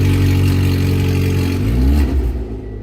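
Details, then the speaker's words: Car with its catalytic converter cut off overnight and the Service Engine Soon light on: very loud, raw, deep roar that swells as the engine revs. "There you go. That is so loud. What were you saying? I said that is so loud. I had no idea it was going to be like that."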